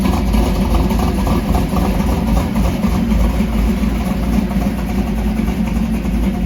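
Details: Warm stroker small-block Mopar V8 with solid roller cam in a 1968 Dodge Dart drag car, idle raised by a throttle-blade adjustment, cold weather: deep, even loping burble, steady with no misses; normal idle.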